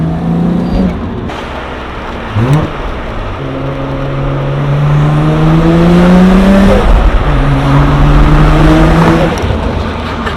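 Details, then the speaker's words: R32 Nissan GT-R on the road, coilovers maxed out: strong pulls with rising turbo whistle on each throttle push and crackles on lift-off, healthy turbo spool and exhaust pops. "Do the turbo spool. It sounds so nice."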